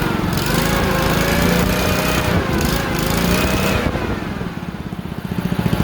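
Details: Honda GXV160 single-cylinder engine on a ventilator build, running after ignition lead plugged firmly onto the coil, air cleaner not yet fitted; pulling hard at full throttle, steady firing with slight wavering: normal running.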